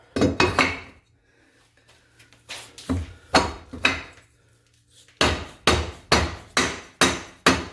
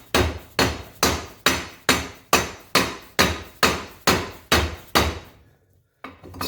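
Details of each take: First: 1977 Baja jet boat, Berkeley 12JE jet pump (403 Olds power), pump rebuild: wear ring driven in with hammer using old impeller as driver; steady blows just over two a second give dull thuds, not the metallic ring of a fully seated wear ring. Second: 1977 Baja jet boat, Berkeley 12JE jet pump (403 Olds): the wear ring is hammered in at about two blows a second, changing from dull thuds to a ringing metal-on-metal clank as the ring bottoms out and fully seats.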